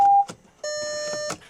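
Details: Bentley Continental GT (originally W12) on first crank after an engine swap: a clean two-tone electronic chime repeating in short pulses, because the gear selector was in reverse, not park, with a 'please apply brake' prompt. Dashboard warning chime.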